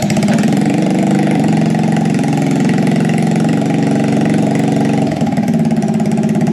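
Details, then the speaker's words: Scratch-built full-suspension mini bike single-cylinder engine, first run after seven months sitting, new exhaust, carb leaking fuel with float issues: steady fast idle, even firing, no rattle or popping; runs fine. "carb is leaking fuel floats definitely having issues so that's fine it runs it sounds good it's not too loud"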